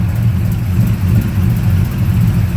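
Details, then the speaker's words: 2004 Dodge Ram with LS engine swap and shorty headers, idling. Deep, steady idle with a faint, quick tick riding over it; exhaust leak at the header donut gasket, already fixed about four times and still ticking. "Not really 6 million times, like 4 times, but still, if I fix it again, it'll be the 5th time, and it's still ticking. You can hear it. Fucking annoying."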